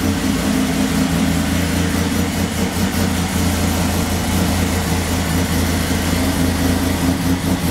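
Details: 1996 Chevrolet Beretta at idle after a timing chain replacement: the valvetrain tick is gone, but a light, quick, unevenly spaced puffing tick rides over the engine note; exhaust leaks, not valvetrain.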